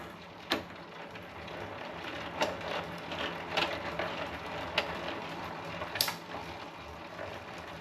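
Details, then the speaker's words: 1984 Raleigh Superbe bicycle with Sturmey-Archer 3-speed hub, chain guard off during gearbox oil service, in top gear: quiet smooth spin with soft chain/hub ticks; earlier vibration was just the cable, now running nicely. "See, she's running nice now. No vibrations."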